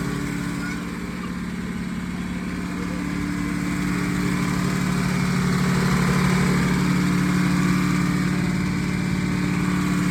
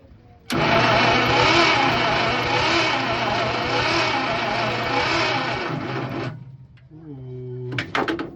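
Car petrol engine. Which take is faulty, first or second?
second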